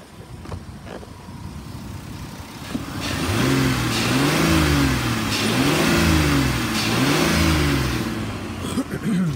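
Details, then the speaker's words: 2007 Ford Explorer XLT with automatic transmission, warm after running about an hour without overheating, idling smoothly: three even throttle blips rising and falling with no knocks, misses or rattles, a healthy engine. The AC compressor is not engaging. "sounds good again it's been running for about an hour and it has not overheated"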